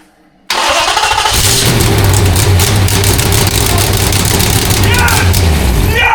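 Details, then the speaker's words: Jeep Grand Wagoneer with a swapped 6.4L Hemi, Holley Terminator X ECU and new custom stainless exhaust, at first fire-up: it catches almost at once into a loud, steady, open idle with no misses, about 70 psi oil pressure, and is loud from the exhaust. "Maybe it's like if you don't hold the starter on, it starts way better. That's awesome. It's pretty loud."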